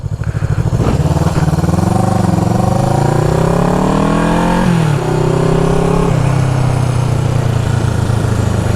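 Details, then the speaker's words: 1974 Honda CB360 twin after fixing the points that were grounding out. Pulls cleanly up through the revs, dips for a gear change, then holds a steady beat with no stutter. Normal: firing on both cylinders again. "Now, I got the points uh stopped grounding out. She's firing on both cylinders."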